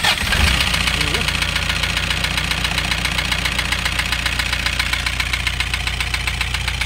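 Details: Toyota Hiace 2KD diesel, overhauled about five months earlier, knocking loudly at idle; injectors tested fine. A loud, regular knock about four hits a second over the idle, a piston slapping a scored number one liner.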